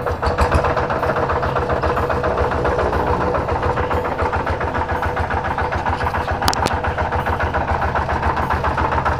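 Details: Kubota single-cylinder diesel tractor idling with harsh, gritty clatter on each firing beat, good compression, smoky; suspected worn flywheel-side main bearing; piston, pin and rings due, liner at 90%.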